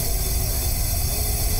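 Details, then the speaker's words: Flood-damaged 2010 BMW 328xi that won't start, on a leak-down test with about 40% loss: steady, even hiss of air escaping from the cylinder. Indicates a leaking exhaust valve. "porque como sale aquí vientito por este cilindro sale viento sólo por este colgante como con el agujero aquí para que este viento que está saliendo aquí oigan"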